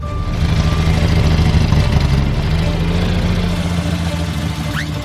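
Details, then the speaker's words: Estanciera just started cold before an Alaska-to-Argentina trip: loud, uneven idle, a lumpy low throb about three beats a second that wavers; hard to regulate at first but works once warm. Rough cold idle, cause unconfirmed. "At first it's hard to regulate, but once it heats up, it works."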